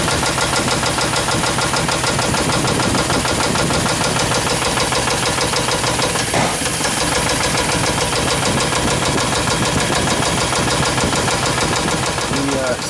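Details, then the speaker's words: Suburban with new plugs, wires, cap, rotor and brake booster: busy valve-train clatter with quick ticking about three per second, squeak persisting; traced with valve cover off to one rocker arm. "is coming from this lifter I'm sorry this rocker I'm putting my point"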